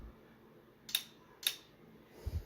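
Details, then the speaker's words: Kenwood KA-9100 integrated amplifier after power supply and driver board recap: two crisp speaker relay clicks about half a second apart switching A/B speakers instantly, then a soft thump; relay healthy. "So the relay clicks over right away. Anytime you switch from A out of B, you can hear it click."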